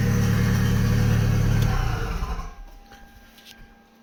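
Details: Audi TT 1.8T four-cylinder swapped into MR2 (200 mph build), after days of diagnosis: even steady idle around 220 beats a minute, running on all four cylinders, healthy, no more knocking from bent rods, then winds down.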